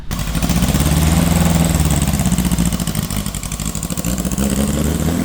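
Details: 1600cc air-cooled VW engine in a sand rail dune buggy, running very rough after a ride: uneven lumpy, stumbling beat with no steady rhythm; damaged distributor cap and a tune-up (points gap .016) needed.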